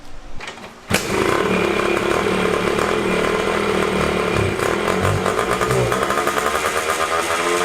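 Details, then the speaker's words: Honda CR500 two-stroke dirt bike buzzing at a fast, steady speed that never drops to a slow idle and stays high after revving; idle screw set too far in. "so this one idles really high that's usually a quick fix usually just the fuel air screw I mean not the idle screw is in too far so if you twist it in it'll idle really high if you twist it out it'll out lower"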